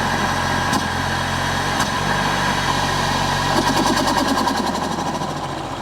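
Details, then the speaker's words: Peugeot 308 GTi THP turbo engine just after a PCV diaphragm oil-leak fix, cold start. Loud, fast, steady idle, smooth with no knocks or misses; normal high cold idle. "Damn, we got cold [Music] stop. Cold start on this is brutal."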